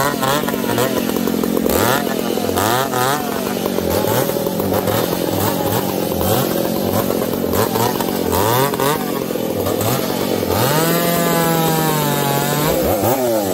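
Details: Ironhorse 371xp and 366 chainsaws cutting: the engines surge and sag, revs wandering, lean then rich, popping. Uneven running that won't tune; owners suspect bad gas.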